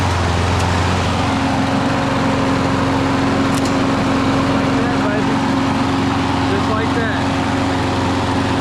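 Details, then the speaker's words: Husqvarna mower after a no-start fix where old gas was the problem, carburetor parts and air filter replaced: steady, even engine drone with constant hum, no misses or surging; running normally again. "We back running. See how simple that is, people? Don't take much. Finding that old gas, baby."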